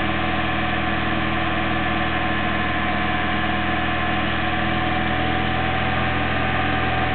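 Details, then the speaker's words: Old Toyota Corolla on 91-octane petrol, fully hot, runs on after key removed with uneven diesel-like knocking; owner suspects carbon buildup in head, also pings uphill at full load; plans 95 octane and fuel cleaner. "It only does it when it's up to engine temperature too, which is There we go. Get a knock then. Let's try it again. Give it another go, get it nice and hot. Key out. You hear it, sometimes it goes even longer."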